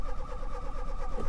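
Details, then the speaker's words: 1989 Volvo 480 ES abandoned eight years, starting attempt: starter cranks the engine in an even pulsing rhythm but it never fires; owner wonders if it has no fuel; crank, no start, cause unconfirmed. "okay it's not starting up the horn is even going off one more time yeah it's not starting up"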